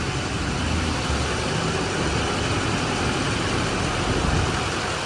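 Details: Silverado Duramax 6.6 diesel 4x4 after Hurricane Helene salt-water storm surge, idling during a leak check after starting: steady even diesel clatter, no misses, knocks or surging. Engine sounds healthy.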